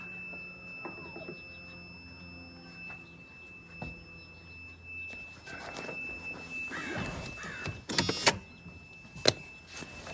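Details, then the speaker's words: 1991 Mercedes 500SL with cold-start problem, first start of day while testing cold start injector wiring with voltmeter jumpers: steady high-pitched ringing and later clunks; owner suspects the test wiring caused it. "that was pretty weird this ringing sound when i had the voltage hooked up weird i disconnected that electrical there's something to do with the way i had it wired"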